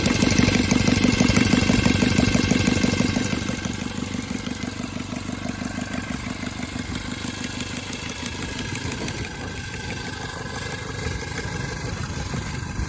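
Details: Cub Cadet 482 tractor, swapped 12.5 hp Briggs opposed twin with rebuilt carb, open exhaust: loud thumping at a steady two beats per second, easing slightly after a few seconds, sounding like an old 4-cylinder Farmall; runs evenly and healthy.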